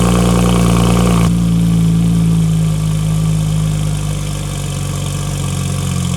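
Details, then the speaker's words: Porsche 991.2 911 Turbo S cold start after installing custom headers. Deep, steady idle with even firing and slight settle, described as very quiet; no ticks, knocks or rattles; normal cold idle. "the car's on as you can hear it's like in complete quiet mode right now"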